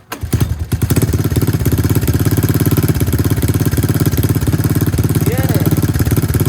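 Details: 1984 Honda ATC 200 single-cylinder engine idling during an engine oil change, run after filling to check the oil level; steady, even low thumping idle with a regular beat and no knocks or misses.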